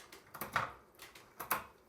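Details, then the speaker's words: Lectric XP 2.0 e-bike with upgraded Shimano Acera rear derailleur, after loosening cable tension by screwing in the barrel adjuster: crisp single light clicks, each gear engaging cleanly without grinding or chatter; shifting properly adjusted. "And it should just click nice and neatly into each one."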